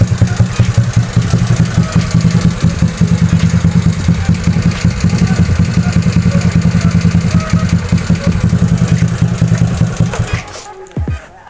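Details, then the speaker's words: Bored-up custom scooter engine at idle after long storage: quick light ticking over the low thrum, about two or three per second, disappearing at high rpm; valve-to-piston contact, valves show marks, head to be reworked. "Nah itu Kedengaran bunyi ngelitik sedikit cuy tapi kalau kita gas-gas sampai RPM tinggi itu hilang kemungkinan ini ada kurang dikit coy gitu nanti kita"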